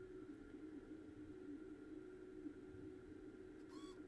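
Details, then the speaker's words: Bose three-disc CD changer showing disc error on all drives, sled drive motor bench-tested forward and with reversed polarity, good resistance reading: faint steady high hum, no grinding or catching; sled motor works normally. "right so that's going forward we're gonna reverse polarity alright see it go back yep and now we're gonna go for him alright so I know that is working fine"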